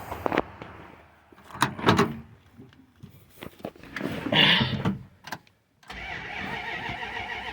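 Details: 1970 Plymouth Fury III convertible, 318 two-barrel V8, A904 automatic, on jack stands with jump box on a charged battery replacing the dead one: strong cranking bursts, short pause, then catches and settles to steady even run; starts normally.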